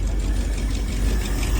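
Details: 1978 Ford F150, first start after reinstalling distributor (sheared roll pin in drive gear): rough lumpy idle with uneven low thumps and a knock; oil pressure present, noise source unknown to owner.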